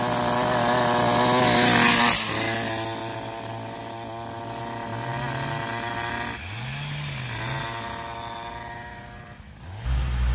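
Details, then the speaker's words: Small two-stroke scooter, cold, pops and burbles unevenly with revs hunting; rear wheel sometimes rubs the swingarm and variator pulley; rough running when cold. "là comme tu peux le constater sa ratatouille un peu donc elle est un peu froide"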